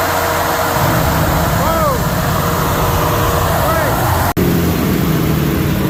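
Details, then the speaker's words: Gas-fired farm grain dryer, generator-powered, test run after a fault code was fixed (code cleared), set for brief dry and cool time: a loud steady fan-and-burner roar stays even throughout with no surging or clatter; running fine. "We're good. Everything works."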